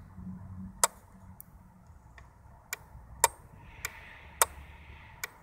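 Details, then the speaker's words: Old electric bike switched on: crisp single clicks as the relay engages at power-up; normal. "okay then you need to switch it on to engage the relay probably hear the read a click"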